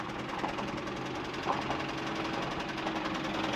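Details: 2016 Mazda CX-5 with a blown engine, driven at low speed: fast, regular hard knocking under the engine note; engine knock, bottom-end bearing trouble suspected.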